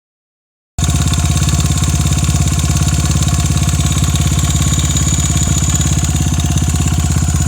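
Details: Honda Ape 82 engine at idle: steady fast pulsing, about three beats a second, with a rough uneven edge; owner asks whether the noise is normal, cause unknown.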